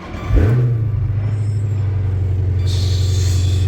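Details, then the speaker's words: 2012 Chrysler 300 SRT 392 HEMI V8, just reassembled, engine light on; owner has a drivability issue; cranks, catches, settles to a steady even idle, purrs until hot; normal idle. "purrs like a kitten till it gets hot."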